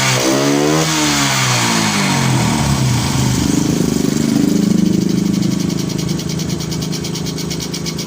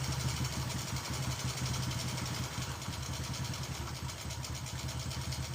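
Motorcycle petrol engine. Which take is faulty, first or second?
first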